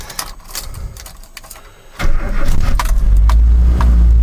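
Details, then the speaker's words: 1985 Mazda B2000 ute, original carbureted 2-litre engine, 310,714 km, no blow-by; cold start with a little choke and a few pumps; slight rattle, catches first try, settles to even steady cold idle; normal healthy start. "And it's got no blow-by, starts like a dream, runs like a dream. So I'll give it a little bit of choke because it's cold."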